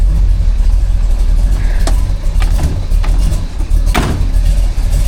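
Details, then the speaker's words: 1940 Chevy truck with a big-block V8, just started after sitting a while: a deep, loud, fairly steady rumble with a few light clicks. AFRs okay but could be better. Idles pretty well; normal idle. "She starts pretty good. The AFRs aren't bad on the truck. They're not great. They could be better."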